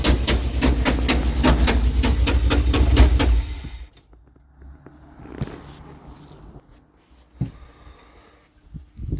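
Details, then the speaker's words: Engine with a sharp, even tick about four times a second over the rumble, then it shuts off; the header was removed to fit a starter and refitted without a new gasket, gasket suspected, unconfirmed. "I did that to take the header off put a starter in I didn't replace a gasket I don't know if that's what it is"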